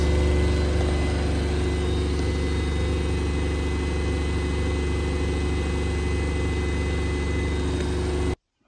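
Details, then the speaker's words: Washing machine on spin with a loud, heavy low rumble pulsing about four times a second as the drum shakes hard. The worn shock absorbers, held by plastic pins, need replacing. "noise in most cases it is necessary to replace the shock absorbers of the washing machine"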